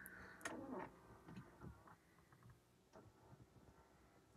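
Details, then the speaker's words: 2013 Ford Edge Limited with no heat, after blend door actuator replacement: climate control reset procedure; faint ticks and short whirs in a quiet cabin as the blend door actuators cycle through recalibration, which fixed the heat. "and you can hear the shutter doors like moving and stuff okay so that should be reset"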